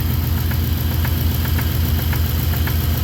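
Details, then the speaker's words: Blown Subaru started after two years in storage, bottom end suspected worn: faint regular light tick about four per second over a rough idle; owner says it knocks around 3,000 rpm once warm, not knocking much yet; cause unconfirmed. "But she does knock at about 3,000 RPM after it warms up a little bit. I think the bottom end's kind of gone. Yeah, I can kind of slowly hear it."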